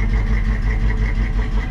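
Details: 1973 Ford Bronco, probably 302 V8, in for rear axle and alternator repair: deep, steady V8 burble at idle, even firing rhythm, no knocks or misses; normal idle.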